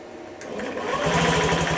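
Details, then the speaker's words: Honda Ruckus scooter after complete engine rebuild, first start with brake held and battery on charger: starter press brings sudden clatter, then fast buzzy chatter as engine catches; source of the odd noise unclear. "uhoh what was that what did you did you hear that Houston I think we have ignition"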